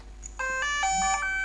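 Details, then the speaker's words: DJI Mavic drone powering on (press once, then press and hold): quick run of about three clean rising electronic beeps in a quiet room; normal startup chime. "So push once, push hold and then let go. You will hear the beeps."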